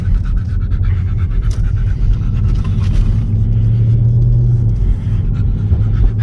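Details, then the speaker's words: 2020 Dodge Charger 392 Scat Pack just back from the dealership after 8 weeks for a knock, with a new motor, heard from the cabin: deep full V8 rumble pulling hard, smooth, no knock or tapping; healthy engine. "Sounds a lot better than I remember. I think this new motor sounds a lot better."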